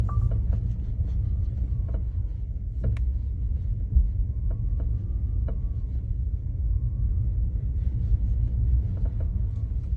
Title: While driving at low speeds accelerating and decelerating. Creeping and creaking noise can be heard…